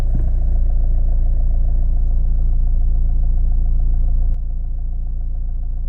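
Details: Opel Astra J 1.7 CDTI diesel after fuel pressure regulator cleaning as a temporary idle fix: steady, even low rumble with regular beat, no hunting or misfire; normal idle.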